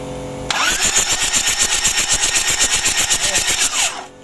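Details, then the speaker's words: Freshly rebuilt Daihatsu Hiline F70 diesel, glow plugs removed, borrowed L300 battery: even starter churning about four beats a second for three seconds with no firing, free cranking to bring oil pressure up; normal. "Untuk businya belum kita pasang, masih kita lepas. Kita mau anginan dulu."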